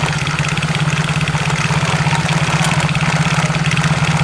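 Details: Yamaha X-Ride scooter idling with a steady hollow "godok" knock about three times a second from the CVT. The rear wheel also turns by itself without throttle. CVT knock.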